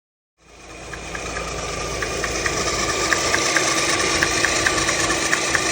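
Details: Alfa Romeo Twin Spark engine idling: a light, sharp tap about twice a second from the timing belt area, caused by the SKF-brand balance belt tensioner bouncing; the tensioner must be set in the middle.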